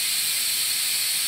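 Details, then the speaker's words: Multipro 2 HP electric air compressor, motor off: steady sharp hiss as tank air bleeds back to the pressure switch because the check valve between tank and head does not seal. "यह स्विच एक check valve है क्योंकि check valve का कार्य हवा को रोकना है जो कि किया गया है सिलेंडर हेड या प्रेशर स्विच पर वापस आने से टैंक में पंप किया जाता है ।"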